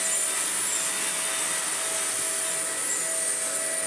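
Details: Broken Shark vacuum fitted with a new non-genuine replacement motor, old motor's sound-deadening wrap suspected of trapping dust and causing overheating: steady high-pitched rushing whine at constant speed, no rattling, scraping or wavering; motor running healthy.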